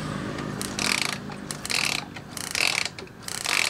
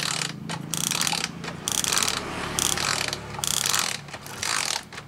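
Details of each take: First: Ignition coil spark test, 12-volt feed: the coil isn't working well and the spark won't jump far, giving short thin, weak snapping crackles about every 0.8 s. Weak ignition coil spark. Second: Suzuki motorcycle ignition coil bench spark test on 12 V with pulse generator: sharp loud crackling snaps in quick bursts with short gaps; Suzuki coil throws a big, strong, blue spark.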